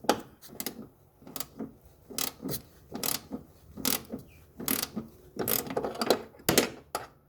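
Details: 2016 Toyota Tarago with a noisy engine bay: irregular clicking and ratcheting bursts with little engine hum beneath them; rattle whose cause was not identified.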